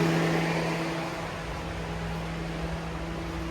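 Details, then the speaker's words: 2011 Toyota RAV4 electric radiator cooling fans run via scan-tool activation test after fixing one fan that shook the front end when the AC kicked it on: smooth steady air rush, faint motor hum, no scraping or rattling; both fans now normal. "And here's what we get. Much better. Both fans work."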